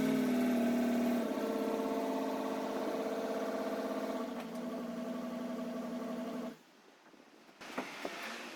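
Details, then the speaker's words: 1957 Ford Thunderbird with the battery freshly charged so it cranks well; it catches and runs unevenly with a wavering, lumpy beat before cutting out, a rough start with cause unclear. "It started up, but it didn't start up very well. Luckily I'd had the battery on charge, so it was able to crank it pretty well."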